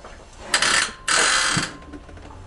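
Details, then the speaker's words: Worn, cheap, previously dropped motorcycle with two short, gritty grinding bursts of about half a second each as the brakes are applied: crunchy, loud brakes, cause not identified. "they're a little bit crunchy there it is man i hate this bike there it is big time crunchers"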